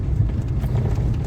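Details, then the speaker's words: Lada Kalina driven over loose stones after steering column repair (washer in electric power steering fixed): steady low road rumble with no knocks, clicks or crunching; steering column tight and quiet. "Спеціально їду по камінцям. Не стучить нічого. Не хрустить."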